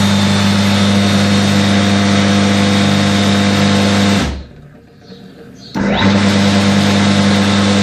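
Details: Very old Allgemeine Maschinenbau-Gesellschaft AG Chemnitz 1.4 kW electric motor, first startup after 40 years, run on a Steinmetz capacitor connection; steady even low mains hum that drops out briefly and returns, running smoothly. Normal running.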